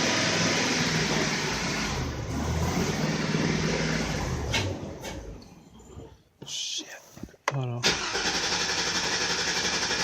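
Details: 2002 Chevy Avalanche 2500 with stalling, cold start with coolant temperature at zero: engine runs rough, fades and dies near six seconds, then sputters and catches again; fuel starvation from a weak fuel pump.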